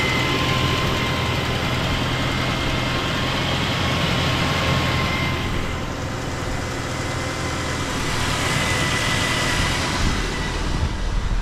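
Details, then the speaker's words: Engine at idle after cleaning grease and oil buildup off the drive belt and pulleys: steady idle, even low hum, no squeal or chirp from the belt drive; belt noise fixed. "fixed it Doty pules build up of build up of grease and oil on the Belt fantastic that's quietened it right down"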